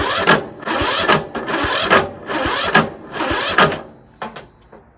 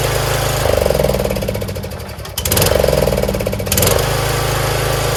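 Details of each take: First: Troy-Bilt Pony lawn tractor, free unit: starter churns in uneven bursts about once a second, labouring and nearly stalling at each compression stroke; no start; owner suspects valves out of adjustment or automatic compression release. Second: Troy-Bilt Pony lawn tractor single-cylinder after valve adjustment and fresh oil, started with choke: fairly even thump with brief throttle blips, no clatter or misfire; idles normally.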